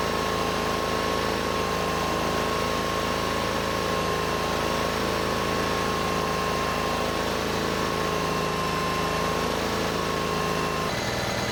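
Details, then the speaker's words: Rusty Honda 6500 W electric-start generator warmed up: steady even hum at settled low speed with faint constant tone above; rpm came down, normal warm idle, though no electrical output yet. "after warming up the rpm went down looks okay so far"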